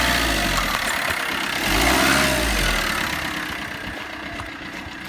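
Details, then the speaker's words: Previously non-running Combo diesel van after new injector seals: it starts better than ever and settles to an even, smooth idle with no chuffing, no knocks and no smoke; the belt is noisy. "Guys, that has never ever started up like that. We've got no chuffing, so the injector seals have made a good seal."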